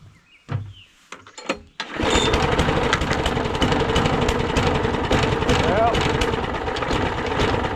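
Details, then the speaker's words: Old free roadside push lawn mower with fresh gas and oil checked, primed three times, first pull-starts before its flywheel key is replaced: catches but runs ragged, stumbling and uneven, not enough to cut grass. Rough running. "she's kind of running, but obviously that's not going to cut much grass running like that."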